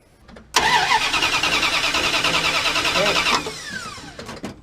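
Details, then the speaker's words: 1979 Dodge D100 Adventurer pickup during electrical diagnosis: fast starter churn under three seconds, no firing, winds down; cranks but won't start, owner suspects dead ignition coil or distributor, unconfirmed. "Coil's dead. Coil's Or coil's dead, or the distributors."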